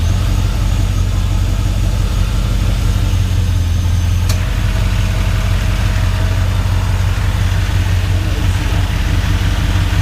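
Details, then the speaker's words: Chevy Silverado's first start after a MAF sensor and intake install, having sat about a month; steady, even low rumble at idle with no knocks, ticks or misses; normal idle, truck road ready. "everything sounds good we give it a quick little read here I'm super excited guys this thing is road ready"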